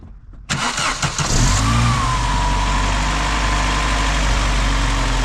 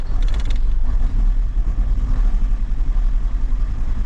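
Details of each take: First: Vauxhall Cavalier that had been running on three cylinders because of a shorting terminal, now insulated with tape. The starter catches quickly and the engine settles into a steady, even idle. Coolant temp sensor wiring is suspected of a separate fault. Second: Vauxhall Cavalier, just started after an oil top-up: a low, uneven rumble that stumbles instead of settling; it runs rough, owner suspects petrol contaminated with diesel.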